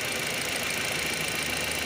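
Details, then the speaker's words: SEAT Leon Mk1 1.8T with new TIAL blow-off valve on its original soft spring: constant airy hiss over a quiet idle with no knock; valve staying open and leaking at idle, spring to be changed. "Como que tiene una fuguita, ¿eh? Como que se queda abierta, vamos a ver."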